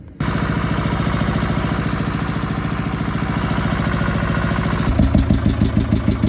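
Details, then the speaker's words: Ingersoll-Rand DD-25 roller with a naturally aspirated Deutz two-cylinder air-cooled diesel: a quick catch, then an even, steady chug at low idle with no misses or knocks; the engine purrs. "And we got more to do, but she's purring. Here's what she sounds like all the way down."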